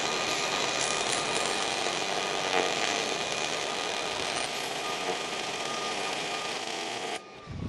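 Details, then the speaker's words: Plain ER70 MIG wire on a Miller 220, compared with a dual-shield wire: a steady, even crackling sizzle like frying bacon, a normal short-circuit transfer arc. "Now we're going to run some ER70. Listen to the difference. You'll definitely hear the difference between a spray and a traditional short circuit."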